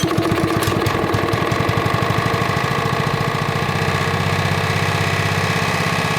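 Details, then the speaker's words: Rol-Air air nailer compressor with Honda GX120 engine; crisp, evenly spaced single-cylinder beats settle into a steady fast run with no miss or knock; running good. "okay all right she's running good now"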